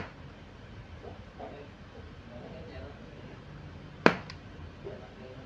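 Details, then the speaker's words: Jinbei Delicacy II Gen 1 studio flash that would not fire, after repair, tested at full power: quiet room then one sharp clean crack; normal flash firing. "mantap om suaranya Om bisa didengarkan Iya itu dia Om Alhamdulillah sudah sembuh ya"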